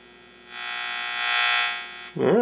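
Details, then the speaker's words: Philco 39-30 tube radio after recapping, first power-up: installing the shield on the 75 tube fixed the feedback howl that had appeared at low volume; a steady even hum builds and holds, no howl; normal, no feedback. "seems to take care of the problem that was a quick fix before i i could only turn the volume up uh a little bit before it would start howling"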